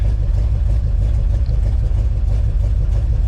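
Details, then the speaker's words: 1962 Chevrolet C-10 4x4 truck engine idling smoothly with a steady, even low rumble and no knocks or misses after new battery cables, fuel down the carb and advanced timing; oil pressure showing, checked for freeze damage. "Look at that, just idling. We're making oil pressure. You can see that."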